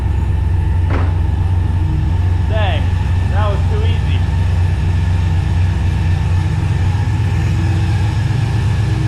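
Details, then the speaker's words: Barn-find Mustang that had been sitting without running, suspected to need a fuel pump: back running with a deep, even low rumble holding steady, no misses, knocks or stumbles; normal idle while warming up. "looks like it's back from the dead like it never left let it warm up a little"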